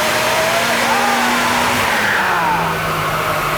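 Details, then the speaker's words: Turbocharged Mazda MX-5 on dyno rollers, boost cut from 15 psi to 13 psi after a misfire at 15 psi; spark plugs suspected: engine pulls and eases off with cleaner, steadier note and fewer stumbles; smoother running at reduced boost. "that was better wasn't it that was better yeah that's 13 PSI again"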